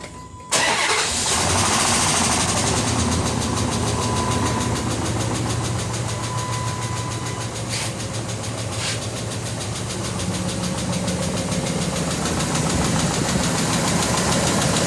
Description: 2004 5.7 Hemi Durango. Loud Tick developed overnight. Dodge says its a lifter, but will have to tear engine down to be sure.